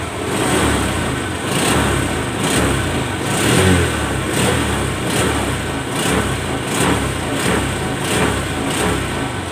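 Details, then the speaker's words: Honda Vario 125 LED scooter after light service and CVT cleaning (rollers, belt washed): quick light throttle blips rise and fall cleanly, no hesitation or rattle; throttle now very light compared to before. "Oke, tarikannya sudah ringan sekali guys ya, nggak seperti awal mulanya tadi guys"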